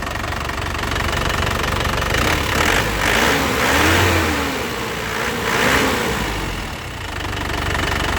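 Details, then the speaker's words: 2016 Isuzu LS Turbo diesel, factory-original, dry engine and turbo with no oil seepage, warm: even diesel clatter at steady idle, no stumbling, shaking or misses, no smoke; normal healthy idle. "ya suaranya benar-benar istimewa Lur suaranya benar-benar nya kayak mobil baru enak di telinga suaranya mesinnya tenang tidak goyang tidak pincang"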